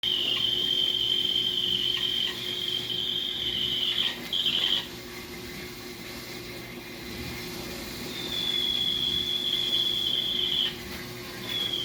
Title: Kenmore dishwasher model 587 making loud noise